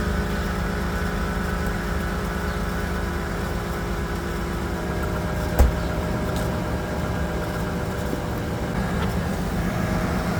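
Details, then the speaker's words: 1995 Chevrolet S10 Blazer engine, first start: fires right up into a smooth, even idle, steady low hum, no knocks or ticks; healthy, though owner suspects a minor accessory pulley or serpentine belt noise. "the sink pretty much fires right up sounds really good"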